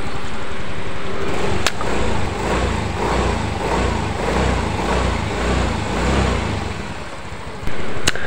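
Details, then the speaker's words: Yamaha Mio M3 scooter after engine teardown and rebuild for compression loss, oil reaching cylinder head, during 10-20 minute test run: starts easily, steady even low putter at idle, no knocking or ticking; engine smooth. "rekan-rekan, alhamdulillah ya untuk motor Mio M3 ini hidupnya gampang, kemudian suara di mesinnya juga sudah halus ya."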